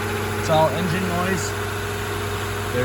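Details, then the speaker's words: Integra just after temporary exhaust patch with parts-store pipes and clamps, heard from underneath: quiet steady idle, no puffing, ticking, hissing or steam; exhaust sealed, engine running normally. "no steam coming out by the cat no steam coming out here sounds quiet underneath we'll let it warm up for a little bit"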